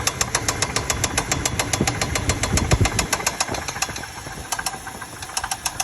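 Sharp, regular ticking at roughly three to four per second rides over the idle; a top-end knock, cause not yet pinned down.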